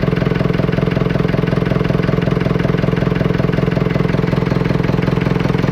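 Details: Fordson Major tractor diesel running after Simms injector pump repair, leak corrected and pump timing set; steady, even beat around 214 per minute with no misses or knocks, starting and idling smoothly.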